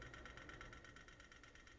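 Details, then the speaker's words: 2013 Chevy Malibu instrument cluster, mph stepper motor after previous DIY repair: quiet rapid ticking, about eight clicks a second, during needle sweep as free-spinning gears fail to mesh and the needle doesn't move. "that ticking sound will go away once I get the gears mesh back into place again but yeah it should be zeroing out right now doing a little sweep and it's not moving"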